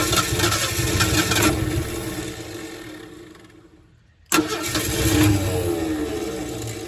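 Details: 1968 Ford F100 not run since 2001, after restoring spark at the points: engine catches and revs, fades, fires again unevenly, running only on lawnmower fuel poured in; runs only on priming fuel, fuel starvation suspected.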